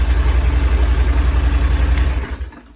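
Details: Moto Guzzi Breva 1100 twin with 34,000 miles, unridden for three days, starting after a starter wiring mod to cure a click-no-start fault: steady, even low thumping at about three to four beats per second, then it winds down smoothly, a normal idle.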